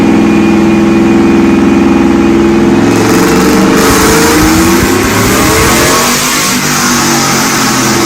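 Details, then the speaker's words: 2006 GMC Sierra V8 with a Texas Speed Chop-acabra cam (214/222, .550 lift): loud, choppy lopey idle with uneven thump and a rev blip that settles back; normal big-cam sound, very loud. "Yo. Oh my gosh. It sounds so freaking good."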